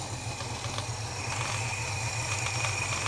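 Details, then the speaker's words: Holden HK V8 cold start after adjusting spark plug gaps, coil buzzing: uneven loping idle of about four pulses a second with some rattle; owner suspects the carburetor mixture screws are too far out with worn O-rings or leather washers. "that's heaps better heaps better he's dialing really rough"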